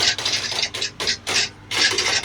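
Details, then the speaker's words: Large washing machine reported noisy, on a quick spin: uneven bursts of light hissy rattling with no deep thump from the bottom drain pump, something loose inside; blocked drain pump, to be cleared via the drain filter. "And as you can hear, there's something rattling around. More than likely sound like it's the bottom of this pump, the drain pump, the pump here."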